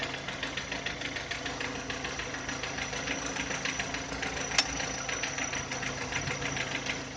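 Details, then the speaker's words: VW Touran 2010, 1.6 BSE engine rebuilt about 15,000 ago (oversize pistons, valves, hydraulic lifters), cold start after two days: sharp uneven metallic knock about three-four per second at idle below 1000 rpm, seemingly from the left side, fading as it warms; cause unknown. "Ощущение, как будто откуда-то с левой стороны стучит."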